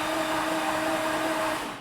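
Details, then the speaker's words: Flood-damaged 2018 Jaguar F-Type SVR, 5.0 supercharged, with all spark plugs removed and the fuel pump on. A smooth, steady starter whine with no compression pulses as it spins freely, then winds down; cranking is normal. "that sounds okay oo and smell the fuel as well I didn't turn off the fuel pump I got no spark plugs in so oh that's really interesting now it's turning over"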